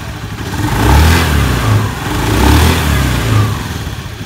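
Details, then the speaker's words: Automatic scooter CVT after pulley bearing replacement and greasing, previously creaking under throttle: engine revved up and down twice, rising and falling smoothly with no creaking or clatter; normal CVT operation after repair. "Nah, sudah halus."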